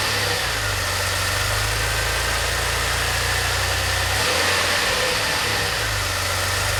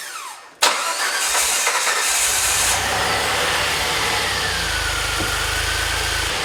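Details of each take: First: DeLorean (manual) warm idle a few minutes after start, following fuel, lambda and idle system work: steady even low hum with slight hiss, no misses; healthy warm idle. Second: DeLorean, just started after priming fuel pump: engine catches, flares, then idle rises and sags instead of holding steady; idle hunting, idle control valve suspected.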